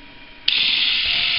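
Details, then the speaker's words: Philips rechargeable cordless shaver, fully charged, only 1.25 V measured at the motor: steady but soft, slow buzz; motor spins too slowly for lack of voltage, owner plans to double voltage for double speed. "okay here running so 1.25 volts not nearly enough needs to be increased twice the voltage will be twice the speed that you're hearing now"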